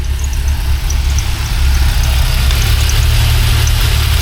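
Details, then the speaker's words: NC Miata after an engine swap at another shop, cam engine, before repairs: sharp high chirp repeats a few times a second over a lumpy, loud, overly rough idle; squeak whose source is not yet found. "So, you'll notice there's a squeaky noise happening."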